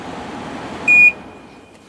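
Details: Samsung 6,300 BTU window air conditioner control panel, where a restart defaults to cool mode. Two short, clean high beeps about a second apart over a quiet hum; a normal response to the mode button.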